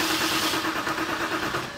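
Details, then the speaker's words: 2007 BMW 328i, N52 engine, manual, with many modules already replaced: the starter cranks at a steady rhythmic chug with no firing. Crank no start. "all right so we've got we've got a no start condition so we'll add alternative fuel into the intake"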